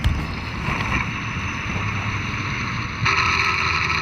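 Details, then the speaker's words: Twelve-year-old all-wheel-drive Ford F-150 accelerating, especially uphill, heard through a stethoscope sensor on the transmission: a steady rumble with a high, even whine that steps up sharply; a transmission bearing is suspected, not confirmed. "it's making that noise really sounds like a bearing noise it's in the transmission"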